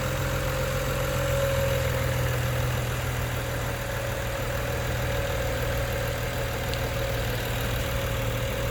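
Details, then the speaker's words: 2011 BMW 135i on a pre-purchase inspection, no engine lights on, heard under the hood: steady, even idle hum with no knocks, ticks or misses. Healthy, quiet running. "so you can hear the engine purrs nicely at the exhaust Oh smoke any issues like that under the hood we find it it's running nice and quietly"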